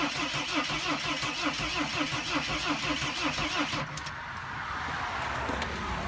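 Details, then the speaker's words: Mercedes Sprinter diesel, cranked after clearing a returning crankshaft position sensor code: steady starter churn about three beats a second for nearly four seconds, never catching; owner suspects mass air flow sensor. "it has to do with a mass air flow sensor and I haven't had this problem in the long time but usually either the vehicle will not start or it will start up and quit"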